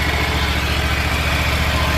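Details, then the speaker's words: Exmark/Toro 48" zero-turn mower, carburetor previously repaired: at steady idle a faint high, dry whirring from below, apart from the engine noise; both worn transmission idler pulleys (two on the belt) are bad and need replacing. "Aparte del motor se siente un ruido, un ruido que viene de aquí abajo."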